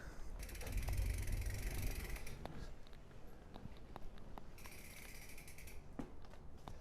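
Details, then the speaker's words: Bicycle disc brake after de-squeak service, wheel reinstalled with thru-axle and checked for rotor rub: only the freewheel's fast buzzing ratchet as the wheel spins and coasts, no squeal or howl when braking; brakes now quiet. "Ah, peace and quiet. No more."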